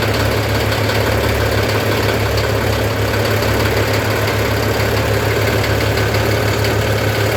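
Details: Old tractor diesel cold start after glow plug heating: deep, steady idle with even clatter and no misfires. The tone smooths as it warms, usually within about a minute. Normal diesel idle.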